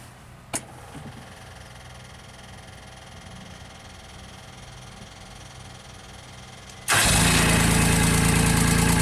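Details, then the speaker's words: JLG Baby Scissor lift engine with new starter, new battery and original crank sensor set two turns out from the reluctor teeth, started cold: it catches at once and settles into a smooth, even idle; normal start and idle. "And it works. Okay, so now, it's cold, it seems to be working fine."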